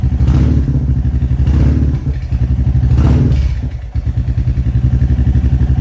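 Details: Royal Enfield Classic 350 Reborn just fitted with a 410 big bore kit, in neutral on its second startup after the exhaust was remounted to fix a leak: an even single-cylinder thump about four beats a second with no ticking or puffing. This is a healthy idle.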